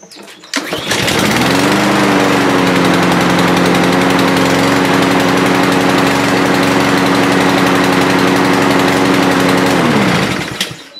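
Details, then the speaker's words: Lawnmower serviced a month ago, oil on the body: it starts easily but holds a lazy, low-pitched drone that won't rev up to speed. The air filter is plugged with gas and oil after the mower was tipped filter-side wrong. "okay so you can see it starts up good now the issue is that it doesn't want to rev up to to speed it's revving a lot slower than it should and what's causing this is the air filter is plugged with gas and oil"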